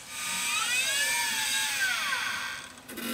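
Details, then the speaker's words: Quantum LTO-4 tape drive in a server rebuilt on an Aaeon EMB-B75A board with an Intel i3 3220, during a partial restore. A whirring pitch sweeps up and down, cuts out, then restarts as the drive stalls and repositions mid-file. The owner suspects a data flow issue, tape wear or the drive itself. "now when i did this before the tape drive felt like it tripped up a lot during the recovery process and sometimes i wonder if that's a data flow issue"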